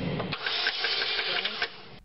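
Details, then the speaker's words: 2003 Chevrolet Cavalier 2.2L Ecotec, cranks but won't start after being parked: starter spins the engine fast and light with no compression pulses and no firing; loose, stretched timing chain slipped and threw the cams out of time. "car was parked and then one morning this starter is turning the engine very fast it's like there's no load no compression so when the chain became loose it slipped and through the cams out of sequence sort of timing sequence"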